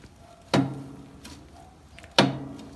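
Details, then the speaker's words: Motostandard/Gutbrod 1010 garden tractor, clutch worked by hand: two sharp clunks about a second and a half apart with a springy ring; knocking in the clutch, still to be investigated. "almost like a knocking sound you can hear so that'll need to be investigated"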